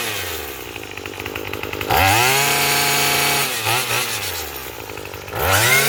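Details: Craftsman 27 cc two-stroke string trimmer, made January 2013: crisp buzz revs cleanly up and down while cutting, picking up throttle without stumbling; running well, though it is smoking.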